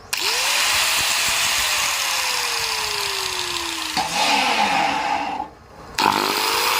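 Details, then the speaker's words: Heavily used angle grinder after replacing worn carbon brushes spins up to a smooth, even high whir; earlier droning noise and power loss gone, normal running. "เปิบนี่นะครับเสียงบอดๆเมื่อกี้หมดไปแล้วนะครับแค่นี้นะครับหินเกียร์ของเราก็จะกลับมาใช้งานได้แบบปกติแล้วนะครับ"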